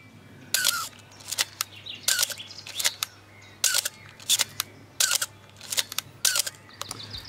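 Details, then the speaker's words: Canon AE-1 Program/A-1 camera, five shutter releases: each sharp clack carries a brief high squeal from the mirror mechanism, the known squeak issue this camera is being opened to fix. "friends i think we have a squealer here well i already made a video on how to fix this"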